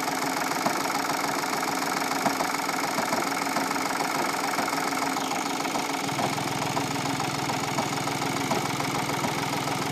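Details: 2015 VW Polo 1.4 TDI, 30k miles, prior front crash: irregular rattling clunk about three per second at idle briefly after startup, stops when clutch depressed; failed dual mass flywheel, replaced with new clutch.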